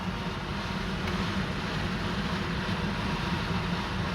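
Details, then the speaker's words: Range Rover L322 after replacing the failed blower motor with a £40 aftermarket fan: steady blower rush at speed setting 2 with a faint uneven throb underneath; visible heavy wobble already on the new fan. Blower fan wobble. "Look at the amount of wobble on it already. Oh, it's got loads of wobble on it. Goodness me. That's not great, is it?"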